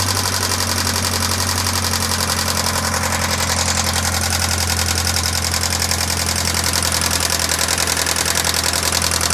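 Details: 1996 Pontiac Sunfire 2.4L idling with a fast, light ticking about three to four per second over a steady idle; head and valves restored and lifters replaced over three months, but the ticking persists and its source is still undetermined.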